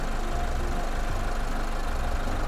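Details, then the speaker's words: Push-start car that earlier cut out when started (fuel gauge blank) now idling after repair, heard from outside the car: steady, even low idle rumble, no knocks, misses or surges; battery then measured charging at 13.66 V. Normal idle. "ทุกท่านคงได้ยินเสียงเครื่องยนต์รถนะครับตอนนี้ก็ได้ติดอยู่นะครับ"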